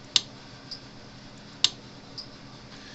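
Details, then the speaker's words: Cyclops Master AC fence charger, 27 stored joules, on the bench with its lid open during repair testing. Sharp, crisp ticks about every 1.5 seconds, evenly spaced, before the output was measured at roughly 9,000-12,000 V: normal pulsing. "all right let me turn it on so it happens all right clicking snapping polson"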